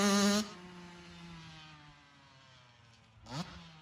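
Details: 2002 Honda CR80RB two-stroke after rebuild and carb rejetting to fix oil blow-by and smoke: a sharp rev drops cleanly back to a steady idle, then a quick crisp blip; throttle response is clean and even with hardly any smoke.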